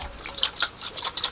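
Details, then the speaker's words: Grundfos boiler condensate pump float cut open: light watery splashing and sloshing as it is tipped, so water is trapped inside the supposedly sealed float, making it heavy so it wouldn't float and work the switch properly. "you can hear that full of water I thought there was a problem that's why it wasn't floating very well"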